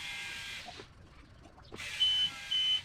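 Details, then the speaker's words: Boat starboard engine with a replaced electric fuel pump, priming with low fuel in the tank: high buzzing pump runs in bursts with pauses, the tone firming up as it draws fuel; normal fuel pump priming. "All right, so now we're going to prime the pump, so to speak, and you'll hear the difference. So it's trying to draw fuel into the pump."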